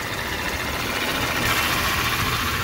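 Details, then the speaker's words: Used 2001 Jeep Cherokee XJ 4.0 engine at idle, fresh oil: a steady idle with belt squeaks and a thin high whine rising partway through, with no knocks or ticks. Whine at idle; owner believes a bad power steering pump, unconfirmed. "now it does have a couple squeaks in the belt that's all right and it is making a funny sound which i believe is the what is it the steering pump it's bad"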